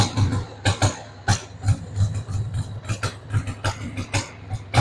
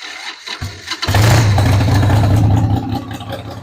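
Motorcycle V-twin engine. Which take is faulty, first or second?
first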